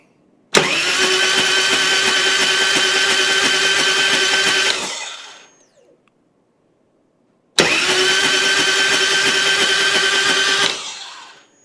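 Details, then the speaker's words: 1999 Harley Road King EFI twin cam being revived after sitting, spark plugs out, cranked on the starter to check it: two even four-second starter bursts, steady whirring spin with no rattle, clinking or clanging; healthy cranking. "Wow, this sounds really healthy. I didn't hear any rattling, clinking, clanging."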